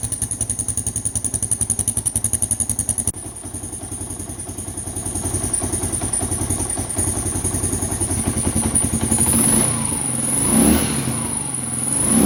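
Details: 1988 Kawasaki KLR650 single, first start after about five years stored in a shed, fuse replaced; slow, heavy thumping catches and settles into an uneven idle with some blips; stored bike coming back to life, normal start-up.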